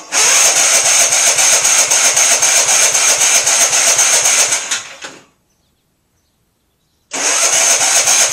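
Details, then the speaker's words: MTD auction lawn tractor after full tune-up and new cheap fuel filter: engine runs steady about five seconds, fades, dies, restarts; keeps stalling. Owner says fuel reaches carburetor, suspects faulty carburetor needing replacement; not confirmed. "well i've narrowed down the issue to the carburetor it's getting fuel into the carburetor so there's something in there that's not clicking right or something probably needs a new carburetor"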